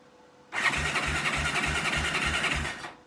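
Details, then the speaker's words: Kawasaki Bayou quad whose starter button does nothing: with the solenoid leads jumped by screwdriver, the starter cranks strongly and evenly, about three compressions a second, so the starting system works and something isn't energizing the solenoid. "There you go. So the starter system seems to be working okay."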